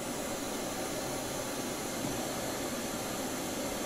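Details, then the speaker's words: 1971 Kenwood KR-6170 receiver, previously dead FM, after cleaning the selector switch: steady even interstation hiss with no station breaking through while tuning in a basement with antenna; FM now working, reception weak. "oh okay i hear static okay good sign we seem to have fixed our fm problem just by cleaning up the selector switch"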